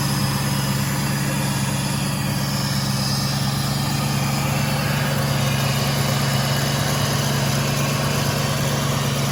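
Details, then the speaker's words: Car at a Copart auction, 39,000 miles, dealer serviced by Nissan, in neutral, heard from inside with the door closed, exhaust and everything apparently stock. Deep, steady idle with an even beat and no misses or ticking; normal healthy idle. "Let's take a look at it. It sounds like the exhaust might be stock."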